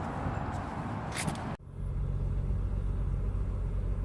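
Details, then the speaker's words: Newly bought BMW idling after PCV/breather hoses broke and were plugged with a breather hose and filter; deep, uneven rumble, owner believes it runs on three cylinders, new PCV system ordered; rough idle. "I'm pretty positive because it's so pissed off at me right now it's only running on three cylinders and I'm going to show you exactly what that sounds like"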